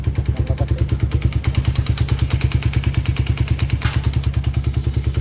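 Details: Engine at 110 on the odometer, never refreshed, idling: heavy regular top-end clatter, about three knocks a second. Stretched timing chain jumped, letting the valves hit the pistons, plus piston slap.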